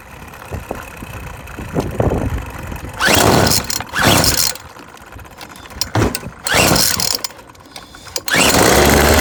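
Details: Yardworks 25cc trimmer after carburetor replacement and adjustment, fuel bowl filling once the loose gas cap was tightened: fires and revs in sharp bursts between quieter idle spells; starts readily and picks up cleanly.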